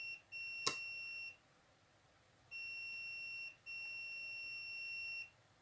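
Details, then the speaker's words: LG 32LJ510D/32LH510D TV stuck in standby: multimeter continuity test gives three long steady beeps as each capacitor is probed to ground, shorted rail; IC suspected as cause of the short. "Jadi, kapasitornya berbunyi bip. Nanti, apakah IC ini yang menjadi masalah, yang menyebabkan korsleting, teman-teman? Rangkaiannya mengalami korsleting, sehingga bel berbunyi."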